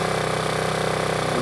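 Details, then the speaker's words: Generator with a Yamaha MZ80 engine, owned for years: a small single-cylinder engine holding a steady, even putter with no misses or knocks. Healthy normal running; the owner calls it a really good runner. "uh about that wind generator going had that for years and uh it's a really good runner"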